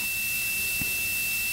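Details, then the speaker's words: Boost cut pressure switch for a turbo LS-swapped Ford Ranger, tested with a continuity buzzer: the circuit closes around 17 psi and a steady unbroken buzzer tone holds as pressure drops. While pressure builds, the switch opens intermittently and inconsistently, so a new switch was ordered. "so there are now close the circuit again around 17 pounds so that thing's actually decent set around 17 pounds and this will stay on the whole way as it comes down"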